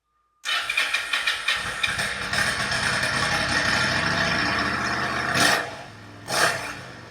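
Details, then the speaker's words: Yamaha XVS1100 V-Star V-twin bobber, pilot mixture screws opened about 1.5 turns: lumpy running with irregular sharp pops and loud blips; rear cylinder still popping, misfiring. "I noticed at this point then it was just the real cylinder that was popping still"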